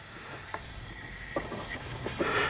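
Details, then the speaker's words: 2007 Audi A8 with air suspension stuck at highest height: red air line fitting at the valve block loosened slightly to manually deflate the left front air spring, giving a quiet, steady hiss with a few clicks, showing air reaches the valve block. "i think we only need to turn it a little bit and it should start leaking and we can definitely hear air"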